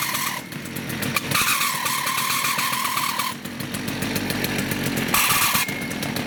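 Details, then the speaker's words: STIHL FS56 two-stroke trimmer at idle: harsh, steady high-pitched screech cutting in and out from the clutch area, which drags so the trimmer head turns at idle when it should not; clutch squeal before repair. "It's quite the annoying noise. It just kind of screeches and it sounds like it's coming from inside here where the clutch is."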